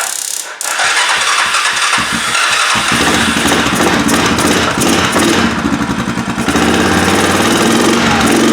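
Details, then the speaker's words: 2002 Yamaha Kodiak 400 ATV that needs a carb kit, starter powered by a nearly dead jump pack: slow, labored cranking for about two seconds before the engine barely catches; weak supply causes the slow crank. "anyway my jump Pack's just about dead that's why it's doing"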